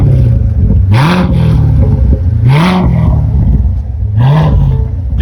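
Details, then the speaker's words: Chevrolet Corvette Stingray 3LT 6.2 L V8, rebuilt after a wreck, sport mode with exhaust valves open; three quick blips climbing smoothly and dropping back to a deep, even rumble with slight burble; revs cleanly, sounds strong. "The car sounds really good with the exhaust valves open. Much more aggressive in sport mode. That sounds cool. Got that 6.2 liters of American freedom."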